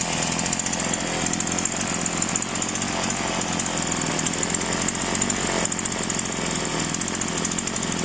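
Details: Polo PL-115i small two-stroke chainsaw with two-ring piston, after carburetor tuning: high-revving buzz holds steady and even throughout, no surging or bogging; normal running.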